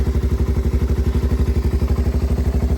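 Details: 1985 Yamaha BW200 Big Wheel, freshly restored, started essentially cold straight from the workshop with no throttle; starts right up and settles into strong, evenly spaced thumps at a fast steady rate, no misses or clatter: clean normal cold idle.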